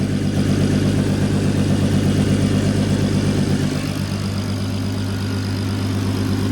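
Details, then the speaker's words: MK5 Golf R32 VR6 turbo, idling after fitting a custom 3-inch straight-through exhaust with resonator and large back box, checked for leaks: steady, even petrol idle with a deep exhaust note that eases slightly partway through, no leak puffing or ticking; sounds good, healthy. "any [Music] sounds good to me yeah sounds really good to me"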